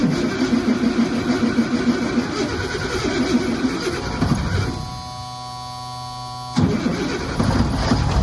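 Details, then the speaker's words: M109A3 (M35A2) military truck diesel, cold start after sitting outside all night at 30°: turns over, catches and settles into a steady rhythmic clatter; starts cleanly without struggling. "the truck has been sitting outside all night it's currently 30° let's see if it starts"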